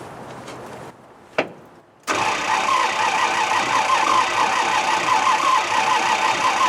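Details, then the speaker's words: Jeep J20 3/4-ton pickup, 5.9 L AMC V8, carbureted, towed home, cranked to draw fuel: the starter churns steadily and the engine never catches; no fuel found in the lines, owner suspects a plugged tank; crank, no start. "it doesn't sound good at all probably need a throttle open while I'm doing"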